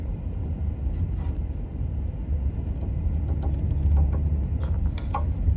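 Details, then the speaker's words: Front suspension of a car rolling slowly side to side: light metallic clanging, ringing and ticking, worse at low speed and when shifting side to side, also heard after parking; worn sway bar links, confirmed by a mechanic. "It's not a squeak, it's more of a clanging, even a ringing sound. The sound is more noticeable at lower speeds, especially from shifting from one side to another."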